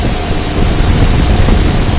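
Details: Dying 1990 2.5-ton Tempstar heat pump running in cool mode, recorded at the outdoor unit near the compressor: constant rough rumbling roar with a thin high hiss, sounds like a hacksaw; harsh compressor noise.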